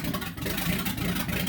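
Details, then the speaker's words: 1964 Chevy C10 pickup with freshly built small-block Chevy V8, first start after install, distributor recently out: deep throaty V8 burble at steady idle, no ticking, knocking or skipping; normal idle. "yeah. Like a throaty V8 for you. Yeah. Yeah, that sounds good."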